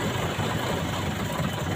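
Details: 4-cylinder engine idle turns lumpier and shakier with an uneven low thump when one spark plug lead is pulled off to test each plug; dead-cylinder misfire shows the removed cylinder's plug was firing.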